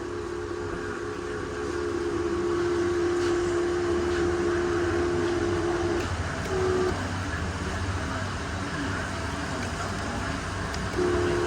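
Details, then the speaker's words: 2020 Honda Civic FC power seat: a loud, steady squealing drone each time the seat slides forward or back, stopping when it halts, described as a very common fault on this model. "วันนี้เรามาดูHondaCivicนะครับเลื่อนเดินหน้าถอยหลังนะครับเสียงดังสนั่นหวั่นไหวนะครับ"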